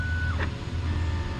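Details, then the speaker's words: AutoDOD brass case machine, infinitely adjustable stepper controller turned way up: steady low buzzing hum at about 70 dB (66–69 at lower speed); the vibration comes from how the motor is driven electronically. "that's cooking right that's like 70. and you can hear the vibration that vibration is basically the motor how it's being driven electronically"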